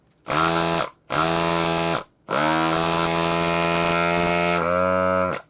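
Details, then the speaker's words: Amiga 2000 repair desoldering tool vacuum pump after cleaning out its clogged bypass valve opening: short bursts of strong, steady buzzing motor holding pitch under load, suction restored where before it bypassed air. "and I could feel it now actually sucking my finger when I stick it in on there. Before it wasn't really doing that."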